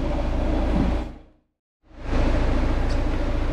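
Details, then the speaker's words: Seat Exeo 2.0 TDI diesel at idle, clutch released: a low, rough metallic rattle pulses about four times a second. The worn dual mass flywheel's secondary side vibrates metal-on-metal, and the rattle goes quiet when the clutch is pressed. It is being replaced by a rigid flywheel and new clutch. "A to dlatego że koło dwumasowe strona wtórna po prostu sobie już drga lata i i po prostu hałasuje no metalometal"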